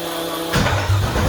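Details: Newly built 6.2L L86 Gen V LT V8, Holley Terminator X EFI, BTR 225 cam, first start with coolant, open headers, no O2 sensor: silence, then catches at once into loud, even idle without misfires or knocking; healthy.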